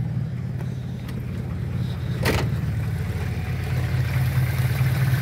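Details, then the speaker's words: Rough idle on a Pointer 1.8 at a low 800 rpm, possibly because the engine is cold: a lumpy, uneven, shaking idle that also affects starting. The timing jumper is missing from the harness, so ignition timing is off. "se dan cuenta, vean cómo hace el motor, muy tembloroso, muy pues prácticamente en el arranque también afecta."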